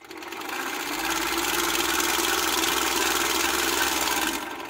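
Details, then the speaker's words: Ciné Kodak Model A 16mm movie camera, partially torn down, hand-cranked at the normal two revolutions per second (16 frames per second): fast, even whirring clatter from claw and shutter, no catches or knocks; mechanism running healthy. "I'm going to crank it normally you know normally normal cranking is two revolutions a second in order to achieve 16 frames per second which was the standard that had been developed"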